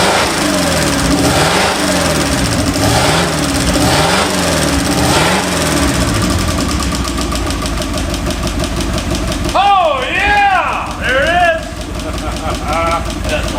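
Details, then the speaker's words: 1951/52 Buick Super straight-eight, abandoned for 40+ years, idling on restart after the fuel system was cleaned: an even, steady low idle with a soft regular pulse; all eight cylinders are firing smoothly with no misses or knocks. "Look how smooth it runs evenly on all eight. That's crazy."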